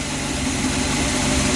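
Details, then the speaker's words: 1966 Chevy V8 idling after harness repair, charging normally with old regulator: slightly uneven, wandering idle beat over a steady rumble; carburetor needs a little tuning, idle hunting. "Sounds like I need to do a little tuning on that carburetor. It's kind of hunting a little bit on the idle, but it's doing like it's supposed to."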